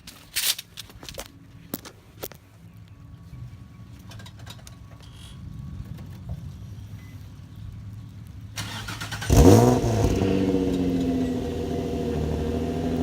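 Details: Nissan 350Z after swapping broken test pipes back to the OEM catalytic converters: quiet, then cranks, catches and settles into a steady even idle with no rattles or ticking from the exhaust; normal idle.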